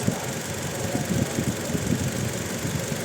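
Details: Toyota Innova petrol misfiring at idle and when revved, with no check engine light and no DTCs: lumpy idle with a stumble every few beats. Coil waveform test finds cylinder two voltage jumping to 0 kV while the others read about 16–19 kV: a faulty ignition coil.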